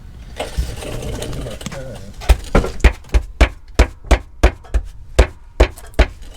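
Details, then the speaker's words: Crown Vic rear-end clunk heard when braking, first blamed on suspension: about ten dull, hollow clunks as the body rocks, not the control arms but a loose socket sliding around under the rear seat floor pan. "you need to open up your left rear door maybe it's a can of monster energy flopping around in the floor pan"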